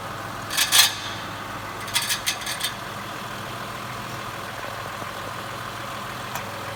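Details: 2014 Mitsubishi Pajero Sport, on a lift with the underbody guard removed: faint engine hum with sharp, irregular metallic rattles; one of six torque-converter-to-flywheel bolts had backed out and was struck by the flywheel, its thread damaged.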